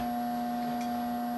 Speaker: can hear that it's humming it's not doing anything at all so it has to have that cap to start